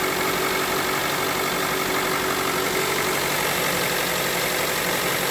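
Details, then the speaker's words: Mitsubishi Lancer X running on gas, cold, after crankshaft pulley with torn rubber replaced: steady idle, slightly uneven beat, knock gone, mild roughness blamed on gas and cold engine. "немножко колбасит мой это из за того что он на газу работает блюд холодный"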